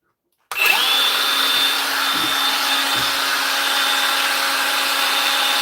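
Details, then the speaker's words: Milwaukee M18 brushless saw after repair: motor spins up quickly to a steady high whine and holds evenly with no grinding or cutting out; the saw runs healthy and the repair succeeded. "yeah we've got a fix guys we've got a fix so that's one down"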